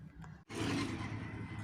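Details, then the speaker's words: Car door: short groaning creak as the door swings open, caused by the ungreased door check rod rubbing; greasing it removes the noise. "यह आवाज़ जब आने लगती है जब यह इस जो रोड होती है इसमें हम ग्रीसिंग नहीं करते तो यह ड्राइव चलती है"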